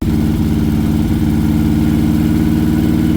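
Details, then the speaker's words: Harley-Davidson 98-inch Twin Cam pushrod V-twin with high-lift cams at idle: loping idle with light, steady top-end ticking, a normal byproduct of pushrods and high-lift cams. "You can you can hear the top end noise. You hear it a little bit when you're riding, but it's definitely apparent on the camera."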